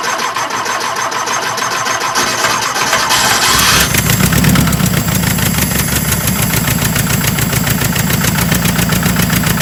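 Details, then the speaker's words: 1976 Porsche 914 with VW Type 4 engine, first start after 30 years in a barn: cranks, catches into a loud, uneven, lumpy idle with a bit of a knock; running rough, owner thinks it needs a rebuild. "it's got a bit of a knock it's running pretty rough guys"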